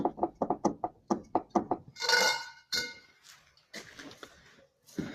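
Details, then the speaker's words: Hyundai Lantra right front strut levered with a bar: quick series of hollow clunks; strut top mount cracked, possibly loose rod nut or failed strut bearing; mount needs replacing. "открутился вот этот болт крепления штока или хана поворотному подшипнику любом случае вот эту подушку надо менять потому что трещина пошла"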